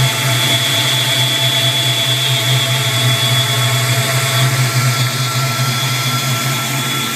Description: This is my 92 mustang whistling while at idle, not sure if its a vacuum leak or not